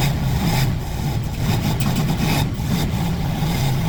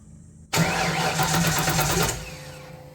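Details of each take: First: Fox Body Mustang ("Black Widow"), long-sitting, runs with a deep steady rumble, revs rising and settling smoothly; smoke clearing, owner suspects bad gas had sat in the fuel rails. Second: Fox Body Mustang after long sitting: starter spins quickly about 1.5 seconds without catching; spark confirmed and fuel pressure present; owner unsure whether junk fuel or plugged injectors, odd it doesn't even bark.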